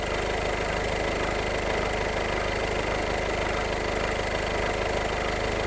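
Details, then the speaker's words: Volkswagen Golf 7 2.0 TDI DSG diesel idling: steady clatter with a faint constant high whine like a roller or pulley singing, seemingly not there before; owner suspects water got in after rain. "Я думаю ви чуєте да деякі якісь ролік підшумлює зараз вам чути краще напевно"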